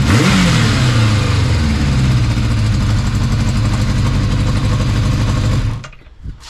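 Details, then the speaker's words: 1981 Kawasaki GPz550 D1 after carb clean: blipped engine with a hissy blowing exhaust leak (pipe may need welding) and revs slow to drop, blamed on throttle cable linkage adjustment. "yeah you can hear it blowing can't you I think he's hanging onto the revs a bit"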